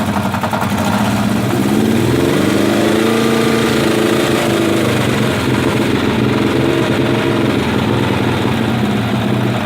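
Uneven light ticking rides over a lumpy idle, not sharply regular; some top-end or bottom-end knock, cause still undetermined.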